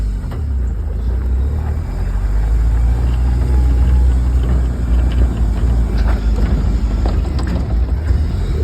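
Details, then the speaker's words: 1994 Jeep Wrangler YJ that sat about 10 years, now running after the injectors were replaced with new ones (mixed port types): deep, steady engine drone with a smooth, even note as it pulls away, no knocks or misses, runs properly. "there she is guys cing like a kitten finally got her"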